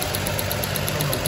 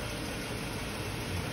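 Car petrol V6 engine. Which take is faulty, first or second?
first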